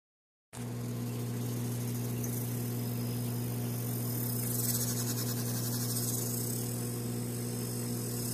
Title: Mp40 dry side making noises